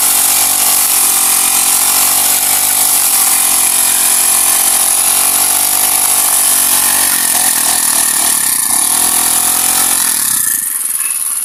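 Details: Honda GX35 grass cutter after cleaning its carburetor; blade still needs replacing: small four-stroke buzzes at a steady high pitch, picks up cleanly when revved and settles back, running even. Normal idle and revving.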